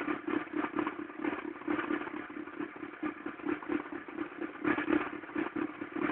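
Uneven clattering, roughly two knocks a second, rides over a thin idle; the cold engine sounds rough, cause not clear.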